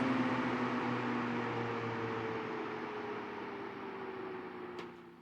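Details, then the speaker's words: Vintage Sears Kenmore 124.8055 fan whose failed speed coil gave little speed change, now on a triac speed controller; motor hum drops smoothly in pitch and loudness as speed is turned down, slowing evenly without stalling; normal fan speed reduction. "Much better. Turn it all the way down. That's a little bit too low."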